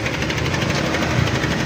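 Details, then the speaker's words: Cold Honda Click 125 scooter idling with a fast light ticking knock over engine hum, continuous when cold; another shop blamed a bearing, but the cause is a worn cam chain tensioner. "Ito maririnig niyo may lagutok pero nawawala rin naman daw."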